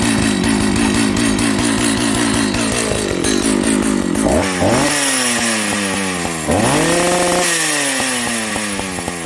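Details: Jonsered 930 project chainsaw restarted at high idle, with a suspected loose spark plug spring connection: steady two-stroke buzz with revs rising and falling through several blips, keeps running without stalling; normal running.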